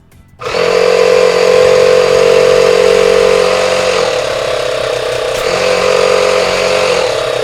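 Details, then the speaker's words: Repaired portable tire inflator plugged in through a cigarette-lighter-style socket, with steady even buzzing pump chatter about four strokes a second and no knocking; it reaches nearly 150 psi with the nozzle blocked. Normal compressor running. "on wow it worked I can't believe it it's putting out a lot of pressure too when I put my finger over the nozzle here it goes right up to 150 almost really pretty good"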